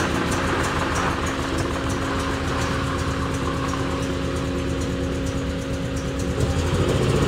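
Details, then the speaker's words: Honda Accord being leak-down tested, running on only two cylinders. Uneven, chuffing idle with a steady stumble of about three beats a second; dead-cylinder misfire, cause not yet confirmed. "Ross is uh to give you an idea how [ __ ] the last Accord I had was that thing running on two cylinders is faster than the automatic one ever could hope to be"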